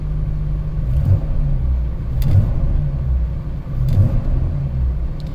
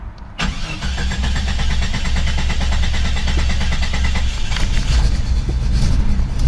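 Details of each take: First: 1995 Jeep Cherokee XJ with 4-port upgraded injectors wrapped in heat blankets (vapor lock fix), low on fuel; starts without hesitation and idles with a low, even rumble, no misses, running pretty good. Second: 1995 Jeep Cherokee XJ, first start after installing 4-port injectors and ECU reset: catches on first crank, runs with an occasional uneven stumble, slight misfire; stumble existed before but is less bad, sounds different, ECU still learning.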